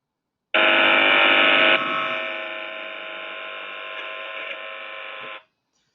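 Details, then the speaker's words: Partial discharge monitoring, sound picked up inside a chamber: a steady, even electrical buzz with no crackle or popping, classified by the algorithm as noise at 21 dB, not partial discharge. "so that sound there hopefully everyone could hear it was heard inside a chamber and it gave that phase result discharge pattern the algorithm classified it as noise"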